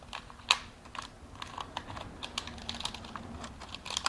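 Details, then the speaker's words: 2012 Chevy Camaro steering column clock spring, wheel removed, turned by hand: irregular dry crackling pops like popcorn; clock spring broken from over-rotation after steering was disconnected for engine replacement, also suspected of causing airbag light. "if you spin this and we'll have some sound clips of this in the video it sounds like popcorn is being made and that is not a sound you want coming from your clock spring"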